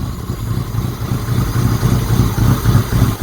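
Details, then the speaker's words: Citroen "Giselle" started after sitting, with fuel drained from the carburettor and the airbox off so it sounds noisy: the cold engine hunts and lopes, nearly stalling, as the faulty choke over-chokes, then under-revs. "Oh, it really doesn't like choke. It's over choking. And then under."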